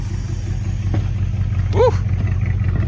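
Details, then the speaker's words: 1973 Plymouth Satellite revived, brakes not working and drive belt on sideways: low, ragged rev with an irregular stumble in the exhaust beat; one cylinder not happy, a misfire, cause not determined. "got a cylinder not happy somewhere but listen to her"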